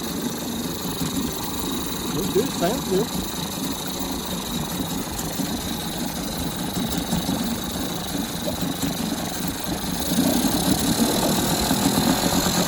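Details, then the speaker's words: Small jon-boat outboard with only forward and neutral, run after its dirty carburetor was taken apart and cleaned; a steady, even buzzing idle with no misses or stumbles, running smoothly. "All right, sounds good."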